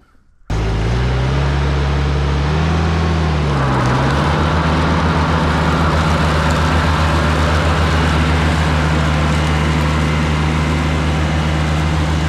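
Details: Cushman front-deck diesel mower, bought as scrap with a supposedly bad hydraulic pump, tires freshly aired up, out mowing: steady diesel thrum rising in pitch after a few seconds, then holding smooth and even under load; normal running under load.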